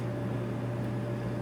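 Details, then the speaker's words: Samsung DV50K8600EV dryer running after replacing a melted idler arm pulley (bushing type) with a new roller-bearing idler arm DC93-00634A and a new belt; it previously would not start, tumble or heat. Steady, even low hum, quiet and smooth, no scraping or squeal. "running, and it's running quiet."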